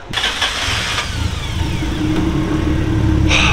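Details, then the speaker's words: Car after new fuel pump fitted (pump primes quieter): starter whirs, engine fires at once and climbs to even steady idle with light blip; sounds good, fuel pump fix works; normal engine start. "but it's working we got the new pump in car sounds good so drive train wise this thing should be good to go"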